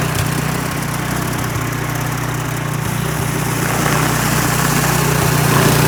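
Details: Troy-Bilt snow blower that would not start, with an animal nest found inside, primed: small single-cylinder engine fires and settles into a steady, even run with a firm low beat and no misses.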